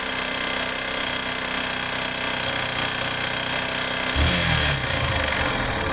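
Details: Yamaha Factor 150 single-cylinder motorcycle engine noise: idling with a busy, uneven rattling clatter over the exhaust note; source not yet pinned down.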